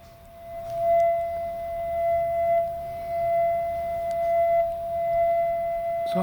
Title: wf1000xm3 右耳異音 right strange noise